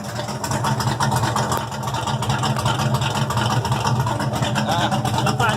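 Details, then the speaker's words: Ford Maverick V8, exhaust straight 10-inch pipes off the header collector kicked out sideways, no mufflers: loud raspy revs with sharp crackles and pops as throttle closes; backfire is normal for this car. "And yes, I was revving it up, and that backfiring you hear is normal for this car. Okay, the exhaust is just 10-inch pipes coming off the header, off the collection pipe, and kicked out sideways. No mufflers, no glass packs, nothing."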